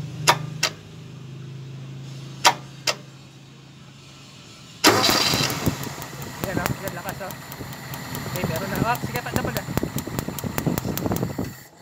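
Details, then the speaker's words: Toyota 4K-engine owner-type jeep, previously hard-starting and misfiring, after distributor cap replacement (firing order 1-3-4-2): the starter cranks briefly, then the engine catches quickly and runs firm and even. Distributor and high-tension wires are OK. "okay yan Ibig sabihin po Okay na po yung ating ignition distributor pati po yung ating mga high tension wire"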